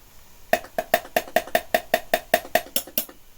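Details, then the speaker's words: Sharp VC5M6E multi-standard VHS recorder being tested over RF: sharp evenly spaced clicks about five a second for a few seconds; the TV is clicking. Owner suspects a panel break or bad joints under one of the cans. "But, I don't know whether you can hear that. The TV is clicking."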